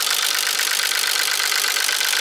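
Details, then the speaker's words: Nissan 300ZX Z32 non-turbo manual with misfiring, running low on fuel with some wires disconnected. At idle there is fast tapping over a thin, hissy note, described as sounding like a diesel tractor and seemingly from mid-engine: a knock of unclear source. "this is the sound of the engine sounds like a diesel tractor and it's coming out with I think from here"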